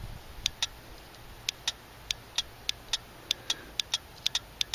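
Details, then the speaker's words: Mazda 626 fuel pump relay bench-tested for a crank no-start, crisp paired clicks as the coil is powered and released; clicking means the relay is switching properly. "clicking is a good sign if it doesn't click it means your solenoid is probably shot"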